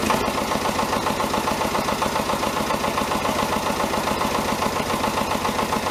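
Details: David Brown 1490 diesel tractor at idle on its first run after an engine rebuild: a steady, regular knock about two or three a second on top of the clatter. Owner suspects a fuel injection knock; injectors are out for reconditioning.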